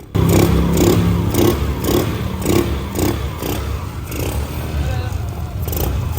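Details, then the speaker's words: Honda Navi scooter after repair of earlier strange noises and heavy smoke: small single-cylinder engine putters with a steady pulse, about two beats a second, no knocking or rattles and zero smoke; normal running. "Cero humo ya."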